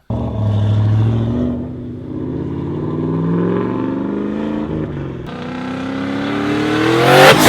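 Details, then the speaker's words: Coyote Mustang with 80 mm turbo before dyno tuning: revs climb, fall away briefly then pull again around 4,000–4,500 rpm as boost hits; owner suspects throttle behaviour in the tune, not his blipping. "I wasn't very smooth with that turbo at the RPMs man whoo I hear that that's not that's not me blipping the throttle that's in the in the tune or something"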